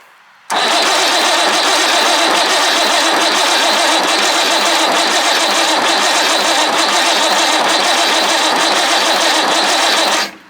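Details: Perkins 6/354 diesel in a White Super Power truck, not run for many years, cranked with an extra battery: starter grinds continuously nearly ten seconds with no firing; cranks but won't start, ether considered to save the starter.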